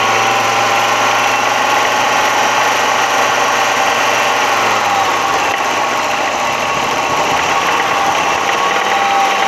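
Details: Audi 100 2.3 engine held at high revs: rough, rapid rattling knock over the drone from about 3000 rpm and up, heard more clearly under load; cause not identified.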